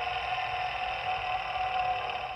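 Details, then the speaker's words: Old serpentine belt tensioner pulley from a 2008 Ford F-250 spun by hand: steady rough, gritty whirring; worn bearing grinding, which caused the belt squeak and noise. "now the reason all this started was because this old one was making a bunch of noise I don't know if you'll be able to hear"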